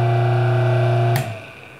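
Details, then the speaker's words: Old lathe motor, single-phase dual-capacitor 110 V 13.6 A one-horsepower 1720 rpm AC induction motor, bench-tested for a diamond grinder: steady hum, then power cut and a short sharp squeak as the centrifugal switch makes contact during spin-down. "you can hear that squeak as the centrifugal switch makes contact as it spins down"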